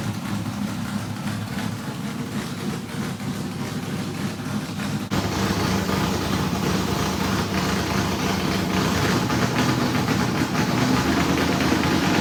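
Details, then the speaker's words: Pontiac-headed small-block Chevrolet V8 in a Richard Petty car, first run in years after priming a new fuel system: lumpy, even idle stepping up slightly, no knocks or misses, good oil pressure; normal running, slight smoke from rings still seating. "well that's the first time this thing has run in a long time we did Crank It Up off the car just you know a couple of weeks ago but uh that's pretty cool"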